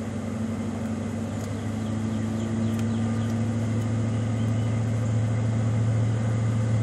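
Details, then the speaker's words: 1995 Ford Mustang GT V8 (OBD1) during KOER engine-running self-test via jumpered EEC self-test connector: RPMs shoot up two to three minutes while codes output; steady smooth raised idle creeping slightly higher, normal fast idle. "just start the car and leave it alone the RPMs are going to shoot up for two to three minutes and it's going to start spitting out the codes"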